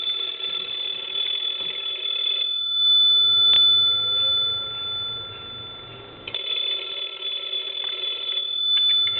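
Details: PTT stone telephone, repaired, final check before shipping: two bursts of bright, even, rapid bell ringing with a quiet pause between; the ringer strikes cleanly and works properly.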